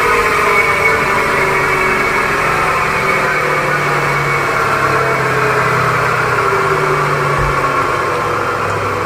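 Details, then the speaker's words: Maruti Suzuki Ciaz, jacked up, engine running, front wheel spun in the air: steady whirring hum with rough growl, louder than the left side, which was quiet. Worn wheel bearing, needs replacement. "आप यह sound सुन रहे हो ऐसा ही sound आपने उस side का उस ल को भी हमने घुमाया था लेफ्ट साइड के उसमें ऐसा साउंड नहीं था इसमें हथ से ज्यादा साउंड है में हमें बेरिंग चेंज करना पड़ेगा"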